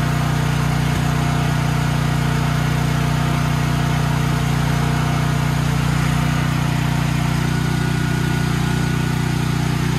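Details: Troy-Bilt XP 7000-watt generator with Briggs & Stratton 21 hp 420cc single-cylinder, stored outdoors, main breaker on: steady, even drone holding constant speed with no misses or surging; engine runs smoothly, though no power output was later traced to a failed AVR.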